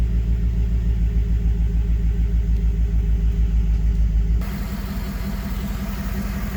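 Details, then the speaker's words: 2011 GMC Sierra 5.3L V8 idling after oil pressure sensor replacement: deep, even idle with steady low burble, no tick or lope as before; gauge working, check engine light reset. Normal idle. "I mean, seriously, listen to how smooth. Now, like I said, it was running fine after they did all the other maintenance to it, but once they did that sensor replacement, oh my goodness."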